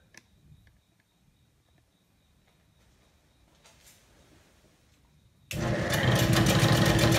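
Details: Old Bennett 541 gas pump, stored in a barn for many years, switched on via a power strip for its first run: quiet room, then the motor kicks on abruptly with a steady, even buzzing hum and no grinding. The electric motor runs normally.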